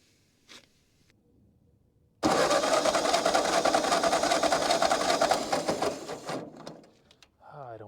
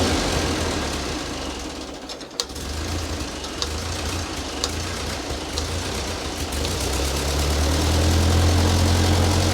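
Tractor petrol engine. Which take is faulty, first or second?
first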